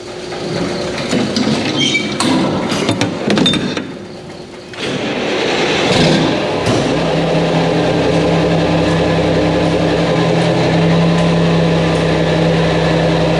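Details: Mack truck diesel after engine reassembly with new parts, fluids checked, ahead of a road test: some clatter at first, then a steady, even drone with no knocks or misfires; normal running.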